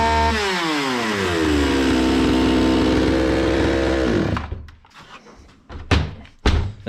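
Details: Zomax 5020 chainsaw, carburetor opened and cleaned but still stalls. Screams at high revs, then sags and cuts out after about four seconds leaving only sputters; mixture fault, fixed by closing screws 180° then about 3 and 2.5 turns out.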